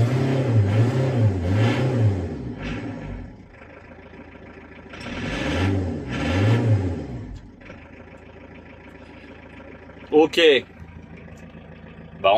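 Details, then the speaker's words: Renault Kangoo D55 1.9 diesel, fully cold, with the glow plug light on and smoke: cranks and catches, then surges and stumbles unevenly before dying back; hard, rough cold start, injector problem suspected. "donc du coup il a du mal à démarrer voà on fait le tour comme ça le véhicule il est vraiment propre il estin et au démarrage il a du mal comme un problème d'injecteur"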